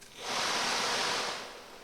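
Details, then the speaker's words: 1990 Mercedes W124 heater blower motor bench-run after lubing both bushings: a smooth airy whoosh spinning up and down freely, with only faint brush squeak; squeak fixed. "The only squeaks now are coming from the brushes on the comm bars, or whatever they're called. But it's nice and smooth in operation now, it's not making any noises."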